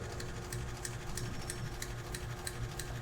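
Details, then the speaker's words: Compensated-winding DC motor in a no-load test, voltage being raised: steady hum with a crisp tick about three times a second and sparking. The carbon brushes have not yet seated on the commutator. "el chisporroteo hasta evita ese ruido que se escucha es porque falta que el carbón y el conmutador le falta un asentamiento de carbones"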